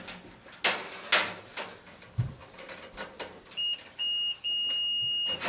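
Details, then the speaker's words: GE dryer that won't heat or start: multimeter continuity beep in three short runs then a longer hold while testing a thermal fuse, which has continuity and is intact, not the fault. "okay so that is not the problem that fuse is still intact"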